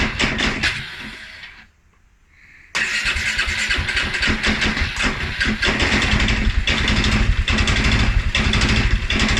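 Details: 2011 Polaris Sportsman 550 XP restart: fires, dies away briefly, then catches and runs with an irregular, lumpy beat; stumble after riding or revving; EFI sensors, valves, timing, plug and 43 psi fuel pressure all checked good, cause unknown.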